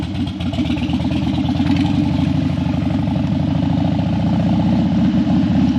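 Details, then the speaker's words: Harley Dyna that died when hot and wouldn't crank hot, warmed up on a test ride after a suspected battery fix: loping V-twin idle holding steady speed, no stumbling or dying. Hot engine running normally. "the next goal is to actually take her for a ride but she's still running I haven't had that much success in a while"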